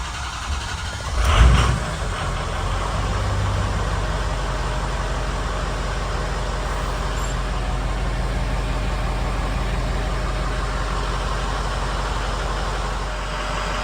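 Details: 6.0 Powerstroke with hot crank-no-start, ICP reading about 240-245: catches after a brief crank into a steady, even diesel idle with a deep, smooth rumble and no knocks; new alternator fitted, warming up.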